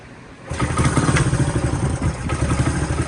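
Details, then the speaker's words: Honda CT90 after carb cleaning, static timing reset, overtight valve corrected and new spark plug: one kick and the single catches straight away into a quick steady putter with no knocks or misses; idle needs slight adjustment; running properly. "but that's better than what it was doing before starts right up that's how these things should be these little tanks"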